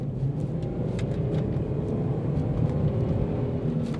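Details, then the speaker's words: Petrol 3.2-litre V6 4x4 SUV, idling: steady, low, even rumble with no knocks or misses; owner later wonders whether a dry bearing-type noise heard elsewhere is a wheel bearing. "Now in terms of engine, this one uses the 3.2 litre petrol V6, so it's quite a thirsty girl, but it sounds good."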